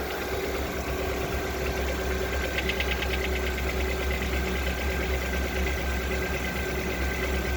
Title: Стук двигателя веста